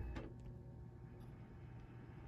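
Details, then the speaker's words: Dell OptiPlex 790 SFF after replacing the broken CPU blower fan, which used to scrape like a saw blade: quiet, steady low hum with no scraping or screech; normal blower fan running. "actually much quieter much quieter that's actually quite nice not that loud actually got a surprise for a small form-factor"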